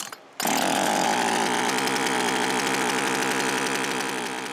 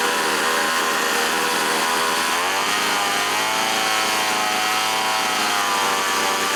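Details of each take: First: Older chainsaw two-stroke after installing a budget replacement carburetor, first test run without air cleaner; high buzzy wail wavering at full throttle, high-speed mixture needle needs adjustment. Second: Small two-stroke chainsaw after budget replacement carburetor and small high-speed mixture needle adjustment, air cleaner and top cover off: steady, crisp buzz holding an even high pitch, revving cleanly; runs healthy.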